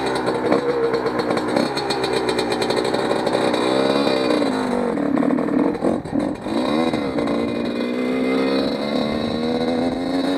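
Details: Motorcycle's first ride after rebuild, still breaking in, new grips, clutch reluctant to engage: crisp, even exhaust note climbs and drops cleanly with throttle, no knocks or rattles. Snappier, slightly quieter; runs healthy.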